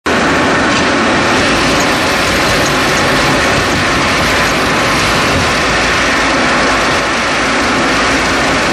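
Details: 2011 Chevrolet Cruze, engine running: loud, busy metallic rattle with a harsh buzzy edge; source never found before the car was traded in.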